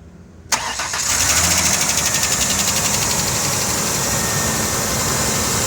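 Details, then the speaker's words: Engine catches and settles into a fast, light tick over the idle, about four a second; the owner suspects engine knock, source unconfirmed, perhaps valvetrain. "Hear that clicking noise? Yeah, it's right here. On this. Yeah, don't worry about that. What? No, I think I have engine knock, and I'm not sure why."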